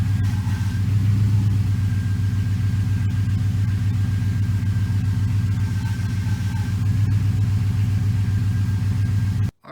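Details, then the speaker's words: '01-'04 Dodge Dakota after power steering rack and pinion replacement, engine idling while the wheel is worked: a faint steady high whine from air still in the steering; ATF+4. "Keep working it back and forth. Again, might have to do it 20 times or so until you're whining or, it's all purged out."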